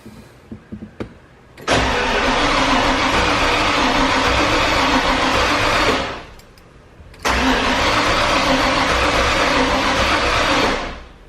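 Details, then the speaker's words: Ford Bronco 351 with newly installed FiTech EFI and new intake manifold: two long bursts of starter cranking, never firing, no spark; suspected miswiring of the simple two-wire distributor. "so we need to reinstall this and figure out what is going on and why it's not wanting to fire or give us any spark spark or fuel I'm guessing"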